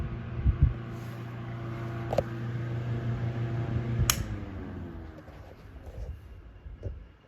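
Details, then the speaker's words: Westinghouse 10LA4 LivelyAire desk fan with light plastic blades, runs warm but not too hot to touch: steady hum, switch click, then the tone slides smoothly down as the blades coast without grinding; good spin-down, bearings healthy. "Spin down's pretty good, so I don't, especially considering how light these blades are because they're plastic, so I don't think that it has any problem with bad bearings that would cause it to run really hot."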